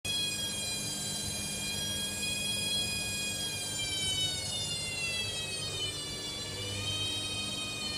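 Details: Hoover Dynamic Next washing machine: loud, high whistling squeal that slowly dips in pitch as the drum turns; the owner is unsure whether this is normal.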